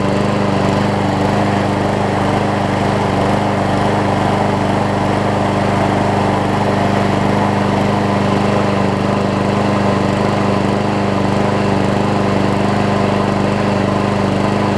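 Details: Scotts push mower with Briggs Quantum engine, after carb clean and self-propel engage lever replacement, running at constant speed: steady, even drone with no misses, knocks or surging; normal running.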